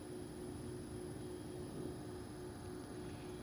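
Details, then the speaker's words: New home AC condenser, in use two to three weeks, believed to be running in dehumidify mode: quiet, steady fan whoosh with a faint even hum and no rattles or surging; running normally. "little update here on our new AC unit and as you can hear it it is running I think it's only in dehumidifying"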